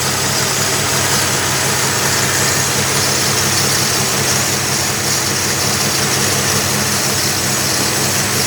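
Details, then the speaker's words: 1963 Plymouth Valiant slant six just installed, remote starter disconnected and solenoid wires corrected: steady, even idle with smooth hiss and hum, no knocks or stumbles; normal idle. "disconnected the remote starter and seems to be running pretty good"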